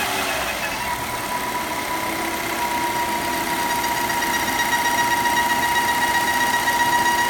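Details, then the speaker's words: Volvo XC60 T5 2.0L, hot idle; steady high whistle over a smooth, even idle from the valve-cover PCV oil trap whose diaphragm has deteriorated, noise stops when oil cap is removed; fix is replacing the oil trap: PCV oil trap diaphragm whistle. "Now you can hear the noise coming from this right here. Pull this valve cut, this oil cap off, and it goes away. That tells you for sure that that's what's causing the problem."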